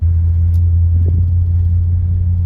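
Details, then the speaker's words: 1964 Chrysler New Yorker V8, parked over two years, running after the spark plugs were addressed and the carburetor cleaned: deep, even rumble with a steady beat and no misses or knocks; normal idle. "i would say she's looking and feeling like a car again now i just took the car over to get some gas and it runs and drives amazing"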